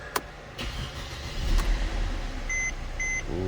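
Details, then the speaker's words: 2012 Mercedes-Benz C250 started right after installing new NGK spark plugs: quick crank and catch, then steady, even idle with no misses, door chime repeating over it; healthy start and idle. "there she is, nice and smooth. She is perfect. Sweet."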